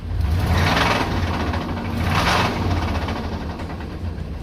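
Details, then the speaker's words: 1999 Chevrolet Suburban V8 after sitting about two months in weeds: heavy knock about three to four beats a second over idle, swelling with each throttle blip; internal engine knock, engine to be replaced. "I got the suburban up to the shop and you remember when I said it had a little bit of a knock"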